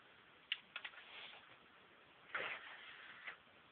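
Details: Xbox 360 disc drive making sharp, irregular clicks and one louder clack over a faint hiss; the console no longer plays games, though discs are not damaged.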